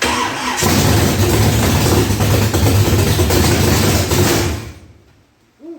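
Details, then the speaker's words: Chevy big-block V8 in a box Chevy, first start after wiring, fuel pump primed, carburetor and timing not yet set: cranks, catches, runs rough and loud for about four seconds then dies; flooded, getting too much fuel. "getting too much fuel, man."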